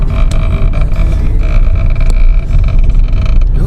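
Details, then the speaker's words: Porsche driving: irregular sharp clunks over low road rumble that seem to come from the dash; a bolt left untightened during an exhaust modification fell loose and strikes the steering column. The steering column was replaced recently. "很明显哦，就是改装这个排气的时候，螺丝没有锁，整个掉出来哦，碰到那个方向柱了，还让别人去换方向柱。"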